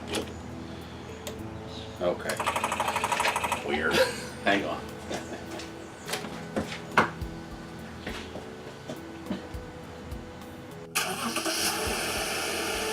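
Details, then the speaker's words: Car's 6-cylinder engine jump-started with an Arteck 2000A portable jump starter, battery disconnected: quick, even cranking that turns the engine over easily, then it catches and settles into a steady run; normal cranking and start. "Because you could hear it turn that 6-cylinder engine over like it was nothing, you know."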